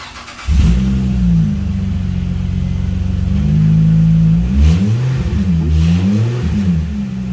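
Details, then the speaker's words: 2005 Acura MDX with failed muffler, essentially no exhaust, before budget repair with chicken wire, muffler putty and bandages; very loud, raw, deep blat swelling with each rev, no muffling, like a racer car: exhaust leak. "Right now it sounds like a racer car with no exhaust. And essentially it's what it is. It has no exhaust."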